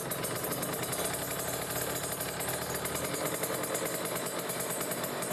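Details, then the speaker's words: Kawasaki Ninja RR two-stroke, Mikuni 28 carburettor, air screw turned fully closed, idling at about 1500 rpm: a heavy, slightly uneven, dull labouring idle. The mixture is set rich (wet). "sekarang kita buka pelan-pelan ya tapi ini udah pasti setingan Basah nih bisa didenger ya teman-teman"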